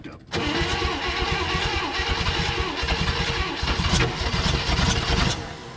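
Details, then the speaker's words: 1960 Chevrolet Impala, sitting 38 years, cranking after the choke was opened and the fuel pump hooked up: hard cranking with uneven firing bursts catching in between, nearly starting. "she's real close"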